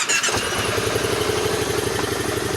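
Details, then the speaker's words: 2010 Kawasaki Teryx 750 with hard starting and no idle, after fixing tight intake valves and adjusting them to spec: brief crank, catches at once into an even, steady idle; normal start, no more sputtering. "Changed both intake valves, adjusted them where they're supposed to be. Fires right up, runs good. Plenty of power back. No more spit and sputtering."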